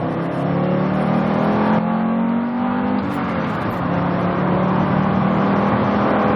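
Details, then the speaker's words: 1991 Audi Coupe Quattro 20-valve, naturally aspirated 7A five-cylinder, 88,000 miles, all-wheel drive, about 3,300 lb, accelerating on the road: smooth, steady growl rising evenly in pitch, no misses or rattles; normal healthy exhaust note. "it definitely makes a good noise has more than sufficient power for the car which weighs 3 300 pounds give or take depending on the driver"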